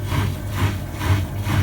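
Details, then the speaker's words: Bosch/Siemens washing machine after E18 no-drain error, drain filter cleared of debris, tested in spin mode: low steady pump hum swelling about twice a second, no grinding or rattle; water now pumping out as it should; normal drain pump operation. "this means that you've been successful so now it's pumping out the water as it should"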